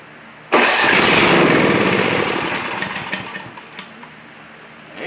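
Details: Simplicity 7524I snow blower, Briggs & Stratton 7.5 hp, electric start with choke on, would quit after running: catches with loud burst, runs raggedly about three seconds, sputters and dies; fuel starvation from clogged carburetor jets.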